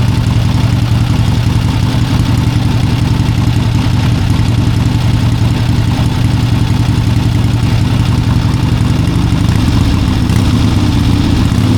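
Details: 1971 Harley-Davidson Ironhead XLCH: engine holds a fast constant drone near 3000 rpm instead of returning to idle; throttle cable was screwed down at the wrong point, not pulling the throttle plate closed; fixed by adjusting the cable.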